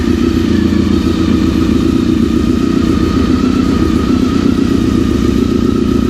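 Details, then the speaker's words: Honda RC45 RVF750 V4, half warm, coolant refilled, after spark plug replacement, previously a no-start: starts easily on the button with no throttle, even low burble with crisp beat, no misses or coughing; healthy. "perfect really satisfying having her cough and shoot flames and not been able to start at all and now she just fires right up just as she should be"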